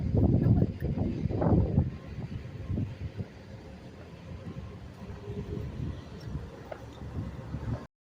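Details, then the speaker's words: Scrapyard 1968 Ford F600 after its seized water pump was freed of a metal piece lodged in the impeller and reinstalled with a homemade gasket. Low, uneven rumble of the big petrol engine ticking over steadily outdoors. Running fine. "basically just cleaned it all up put it back together and you can hear it running it's awesome"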